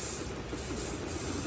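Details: 1995 Mercedes S500 (W140) dual fuel pump powered directly from the trunk battery with alligator clips, rain, before removal: steady high-pitched hiss and whir with a low hum underneath, no stutter or labouring; pump running smoothly with really good flow.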